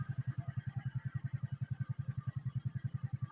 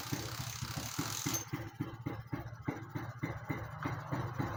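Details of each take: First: Suzuki Smash motorcycle after fitting a regulator/rectifier: a steady, even, low-pitched thump at about seven beats a second with no misses, revving and running normally. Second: Suzuki Satria motorcycle fitted with an aftermarket (non-original) regulator/rectifier: small single-cylinder idle with uneven low putts that never climbs in revs on throttle.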